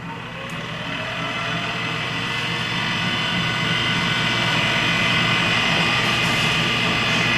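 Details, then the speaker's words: High school pottery wheel being tested during repairs: a steady electric drone with a thin high whine and a faint rhythmic undertone. It sounds odd but works; the weird noise is said to have always been there, and the wheel is passed as okay. "sound's funnier but it works you can call that one okay there's a weird worry you know it's always in there but it's fine"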